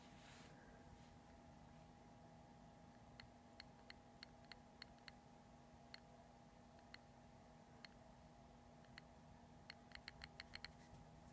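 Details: New Multistar 2216 v2 brushless outrunner motor: faint hum with sharp irregular clicks bunching up; owner suspects a bad bearing, bearing oil planned; another motor from the set clicks less, two are fine.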